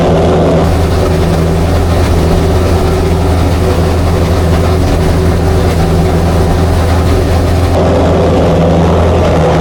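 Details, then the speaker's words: Chrysler 440 Six Pack V8, rebuilt triple two-barrel carbs, cold: low, lumpy, loping fast idle; water on exhaust pipes reveals two cold pipes each side, so four cylinders not working and it runs rich; whether carb is to blame unknown. "Nick uses a water bottle to check that the engine is firing on all eight cylinders he finds two cold pipes on the passenger side and two more on the drivers four cylinders are not working"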